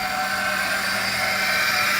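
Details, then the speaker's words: Power steering pump whines steadily at high pitch over the idling engine of a 1989 Ford F350 pickup just restarted after sitting, some vacuum leaks expected; cause suspected, not confirmed. "The power steering pump is making a whine."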